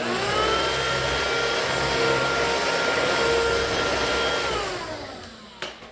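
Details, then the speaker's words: BLACK+DECKER BSV2020P power head after roller replacement and a fix for roller play: smooth, even motor whir with a steady tone and no bobbling or knocking before spin-down; much quieter than before, running normally. "That's a hell of a lot quieter than it was, trust me."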